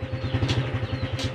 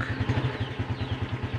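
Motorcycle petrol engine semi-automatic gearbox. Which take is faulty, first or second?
second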